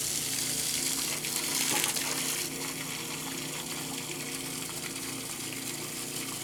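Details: Kenmore washer that sat about six months and stopped halfway through the wash cycle; broken lid switch found and bypassed. A steady, unbroken gush of water as the drain pump empties the tub: normal pump-out after the lid switch bypass.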